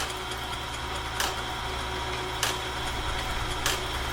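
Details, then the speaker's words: Clarke heavy-duty sawmill blade sharpener and dual tooth setter on first test, running at medium feed speed: steady motor hum with a light tick about every second as the feed advances; normal running. "So, that is medium speed. You can see and you can imagine this would be down and this will be riding on that profile cam going up and down doing the sharpening."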